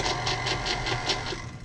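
Even motor whir with a soft rhythmic swish about four times a second, spinning freely with no load.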